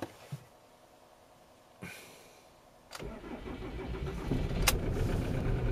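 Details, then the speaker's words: 2003 Ford Mondeo Mk3 estate, 2.0 TDCi turbo diesel, 130 hp, injectors suspected failing: quiet gaps and short bursts while cranking with throttle before it catches into a rough run that barely stays running; hard starting, cause unconfirmed. "so now look he's cranking up doing a lot of gas in there it's really rough it's hardly staying even it's gonna conk out right"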